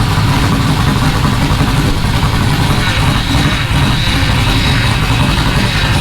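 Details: Rally Camaro LS V8 with no exhaust fitted, first start on new Aces Jackpot standalone ECU, idle target 1,000 rpm, not yet at operating temperature so not self-tuning: loud, deep, fairly steady rumble, no knocks or misfires; normal idle.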